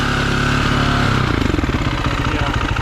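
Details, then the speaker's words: Long-stored single-cylinder KTM motorcycle, keys lost: single-cylinder thump at fast busy idle that never settles; idling too high, valves need adjustment. "Definitely idling too high."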